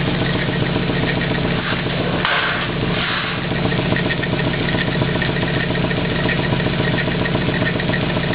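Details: 240 with swapped engine, just running, at idle: odd light ticking flutter plus brief rasping bursts, one likened to a bell, the other to a playing card in bicycle spokes; source undetermined.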